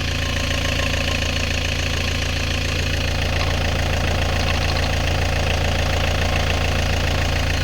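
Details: Worn 1998 Vauxhall Vectra B started after sitting a long time, smoking: steady idle with an even knock about four times a second; owner notes a gearbox noise, source not pinned down.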